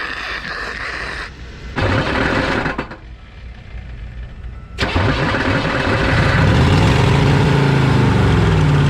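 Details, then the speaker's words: 1986 Chevy 1-ton dually with a 6.2 diesel, abandoned 22 years; it revved high at first, then idles roughly with a wavering whine over the knock. Starter noise while running; owner suspects the starter is stuck engaged on the flywheel. "sounds like the dang starter is stuck like it sounds like it's stuck on the flywheel because every time this engine starts running I hear that starter"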